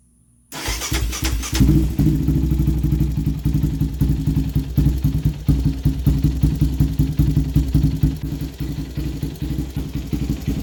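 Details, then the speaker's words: Yamaha Raptor 700 started after installing an NGK CR5 racing spark plug cable: catches and settles into a lumpy, uneven idle with irregular low thumps; owner attributes it to other recent work and needing a new tune. "if y'all hearing it idle kind of funny, it's because I got a little more work done that I need to update y'all on, and I need a new tune."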